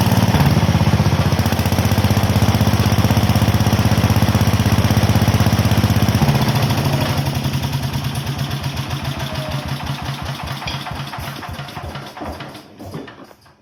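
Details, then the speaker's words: Onan generator last run around 1983–84, first run after decades, on-off switch rigged: a steady, even single-cylinder thump at constant speed, then slowing evenly to a stop at shutdown. Normal running. "well all right we got a runner now let's see if we got a charger"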